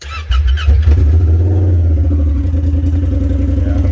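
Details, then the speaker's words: Honda Pioneer 1000 UTV with factory muffler removed for weld repair and O2 sensor out: very loud, raw, deep exhaust bark settling into a fast rough idle rumble, fully straight-piped; check engine light came on immediately. "So you want to hear it actually legitimately straight piped without any muffler at all. And no O2 sensor, so I'm not sure how well this is even going to run."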